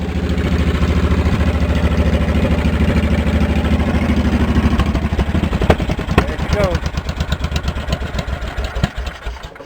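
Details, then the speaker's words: Cub Cadet 1650 4WD garden tractor build, warming up, revved by holding the throttle: sharp loud bark, then distinct popping pulses winding down; open straight pipe without baffle, owner plans to quiet it. "I'll show you how the pipe sound too loud I'm gonna I'm gonna tame it down some"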